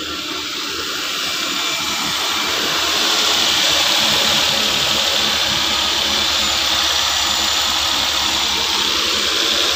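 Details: 2013 Nissan Pathfinder with ignition would not switch on, security light blinking, started after a wiring bypass (original BCM-area fault not found) and battery connected: engine settles into an even, steady idle with a constant hiss, no knocks or misses; normal idle.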